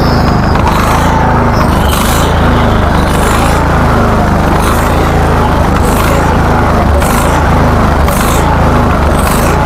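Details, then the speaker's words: Husqvarna LTH1438 riding mower (13.5 engine), which had been backfiring through carb and exhaust, runs after repair, loud and rough with uneven surging puffs about once a second; surging attributed to a lean idle circuit; smoothness unproven. "okay well it actually doesn't run too bad I'm going to attribute that surging to an idle circuit problem meaning that the idle circuit's just not getting enough fuel to run it at full speed"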